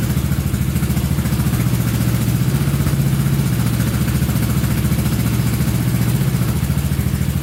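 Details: Honda Big Red ATC 200 (200cc) three-wheeler, barn find sat over 6 years, carburetor reinstalled and since stopped leaking: steady low single-cylinder thump at idle with some light clatter, even beat, no misses; normal idle.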